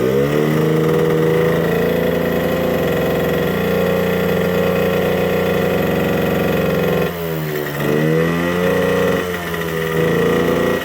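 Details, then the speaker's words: 1979 Suzuki JR50 minibike two-stroke, long-sitting, won't rev out; small engine buzzing unevenly with slight sputter, changing when intake is cupped by hand; intake air leak found, likely why it won't rev out. "Okay, guys. I can hear a little sputtering. And I start to put my hand around here to kind of isolate the noise. Watch this. We've got an intake leak. That's probably why it's not revving out."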